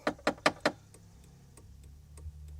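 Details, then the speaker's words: 2001 Jeep Cherokee XJ turn signal flasher relay: four sharp relay clicks then faint irregular ticking, blinkers work only when relay is moved; intermittent faulty flasher relay, being replaced. "but i mean hey it worked for a little bit um but it might be gray as well it's just a gray box but if i move it in there yep it starts to work"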